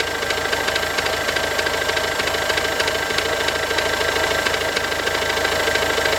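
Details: 2007 Ford Focus C-Max 1.6 TDCi 90HP diesel at idle; sharp steady knock about three times a second over constant idle; engine knocking, cause not pinned down.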